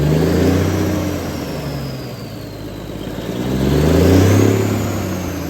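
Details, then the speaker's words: 1978 International Transtar II cabover diesel, first start after sitting 3 years: deep diesel note climbs smoothly, eases back and rises again cleanly with no knocks or misses; runs well, a leaking heater core line noted afterward. "It worked. Sounds good to me. Well, that was an epic win if there ever was one."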